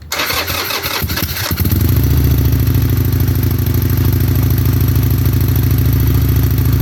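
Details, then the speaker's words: Fuel-injected stock motorcycle, about 637 miles, spring start-up after winter storage: fuel pump primes, short crank, fires within a second and settles into a steady, even idle with no misses or knocks. "this one's all fuel injected shouldn't be any issues I hear the fuel pump prime it it's on run"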